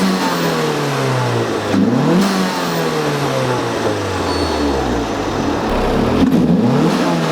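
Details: Turbo Miata with stock BorgWarner recirculation/diverter valve, before Turbosmart Kompact upgrade: engine revs and drops repeatedly, thin high whistle as throttle closes; owner calls it an annoying eBay-blow-off-valve-like whistle since the setup was built.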